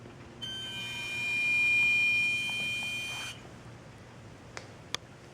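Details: Parked car, engine off, two hours after being parked in the garage: thin high buzzing tone for about three seconds from the engine compartment, then stops; one of five short intermittent instances.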